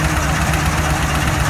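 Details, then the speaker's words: 2014 Ford F-250 Super Duty 6.2 V8 with multiple-cylinder misfire and check engine light; rough, stumbling idle with serious knocking under the hood, later traced to a broken exhaust valve spring. "ou can hear that a check engine light is on and man there's some serious knocking noise going on underneath the hood"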